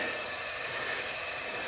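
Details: MerCruiser 3.7L (MCM 470) marine engine being traced for slow coolant loss, leak-down test on cylinder three: steady airy hiss, even small leak past intake valve heard through carburetor; normal sealing, compression and leak-down found no problems.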